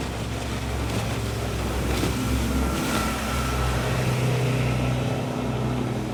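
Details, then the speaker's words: 6.30 m boat with a Nissan CDA20 90 hp inboard marine engine on a Z-drive (sterndrive), on its first water test run: a steady, even drone with water and hull noise, no knocks or misses. It runs healthy. "bữa nay chạy tạm ổn rồi chạy thử xem chơi nhé Đây Nissan cda20 90hp đang chạy"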